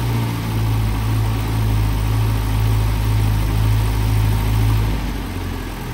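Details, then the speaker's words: Land Rover Series 3 short-wheelbase petrol after valve stem seal replacement and valve overhaul, new thermostat: even, steady low idle with soft exhaust pulses about three a second, no ticking or misses, quiet and healthy. "so as you can hear ticking over nicely now nice and quiet"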